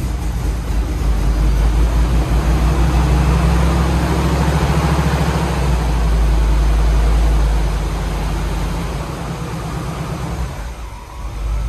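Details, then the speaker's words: C5 Corvette LS cold start before winter storage: deep, steady V8 rumble with an even lope and firm low end, settling smoothly. A healthy, normal cold start and idle. "nothing like a cold start on a Camp LS. Makes my heart happy."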